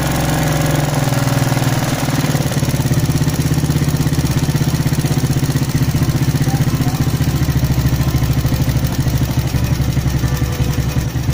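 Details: Smash motorbike with rough running and high fuel use: loud steady idle shifting slightly then settling as the carburetor air screw is opened to find the highest idle, usually about one turn out.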